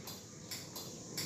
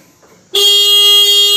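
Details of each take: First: Yamaha Mio GT/Mio J scooter electric starter: a few faint, dry clicks each press with no cranking; faulty starter, several possible causes, battery checked first. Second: Yamaha Mio GT/Mio J scooter whose starter only clicks, tested with ignition on, horn pressed while pressing the starter: the horn holds one strong, steady tone for about three seconds, so the battery is fine and the fault lies in the starter.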